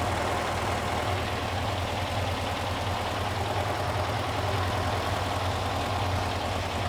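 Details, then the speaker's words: Porsche 912 air-cooled flat-four stored over ten years, after cooling fan repair and adjustment: steady deep hum, no knocks or misses, running healthy while warming up; top oil leak fixed, some smoke underneath. "it's a runner uh sounds pretty good I got a little bit of warmth into it"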